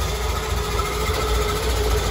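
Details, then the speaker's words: Pacemaker 36 boat, twin Crusader 350 engines after fixing the overheating cause, broken belts and a torn hose. Steady, even low rumble at idle with no knocking, smoke or leaks; the engines run healthy. "leads no knocking no knocking no smoke no leaks sounds good"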